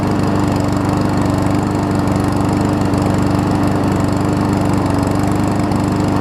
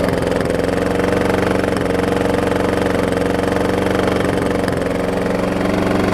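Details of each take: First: Troy-Bilt self-propelled mower with swapped-in Honda engine running after start-up surge settled: even, steady putter at constant speed, no surging, knocks or rattles; smooth healthy running, though it seemed to run at low rpm. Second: Troy-Bilt self-propelled mower with a blown Briggs engine, smoking from blow-by, run wide open. Steady small-engine beat with a dull knock on top: engine knock.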